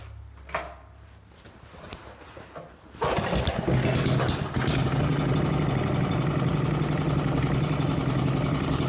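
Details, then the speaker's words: 1970s Briggs and Stratton engine, reassembled with its ignition points. After a couple of pulls it catches at once and settles into a steady, even putter with no misses or knocks; it runs well. "I decided to put it back together with the points in it and start it, and it does start up and runs well."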